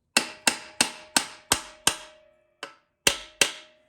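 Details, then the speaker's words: TH350 transmission rebuild, pump tapped in with a hammer and brass drift: sharp, flat, solid taps with a short ring and no hollow thunk, showing the pump is fully seated on the case surface. "And you'll know it's fully seated when the tone changes, so it won't feel like as much of a hollow thunk as a very flat, very flat, solid sound."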